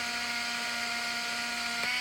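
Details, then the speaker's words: Olympus Infinity Stylus Epic Zoom 80 35mm film camera auto-rewinding a 12-exposure scrap roll: steady high-pitched motor whir with a brief tick as the film tail pulls free; normal rewind. "So now the camera is going into rewind mode, and we'll be able to watch 11, 10, 9, and it will keep rewinding until all the film is safely back over into the canister over here."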